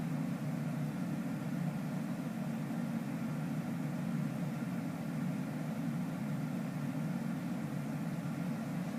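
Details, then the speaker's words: A97 modulating furnace ECM blower heard indoors, ramping into higher second-stage modulation with outdoor unit around 85–90% and AC at 100% cooling, calling about 1230 CFM; steady airy roar, smooth low hum, no rattles or surging; normal high-speed blower operation. "and indoors we know that the fan is running kind of high because we can hear that"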